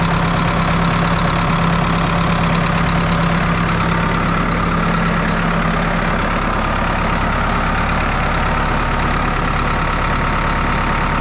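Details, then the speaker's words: New Holland 6610S tractor, 5.0 L Genesis four-cylinder diesel, first start after head gasket and valve job with the fuel system primed: steady, even idle with no knock or miss. Runs healthy, with no bubbles in the radiator. "But it sounds good, it's running good. Don't see any bubbles in the radiator, so that's a good start."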